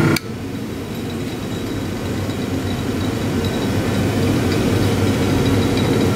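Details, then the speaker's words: Restored 1930s Delta DP220 drill press motor with brand-new bearings, running free after reassembly despite slight shaft play. Brief start click, then a smooth, even hum; it sounds healthy and runs well. "Yeah, what a good running motor. What a good running motor."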